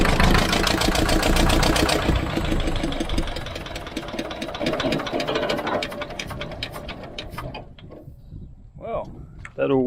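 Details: Old vibratory roller's twin-cylinder diesel, revived after about 20 years unused, idling sweetly at about four beats a second, both cylinders pulling smoothly; second cylinder picked up after a while, owner suspects debris in injector. Oil leak noted, probably a gasket.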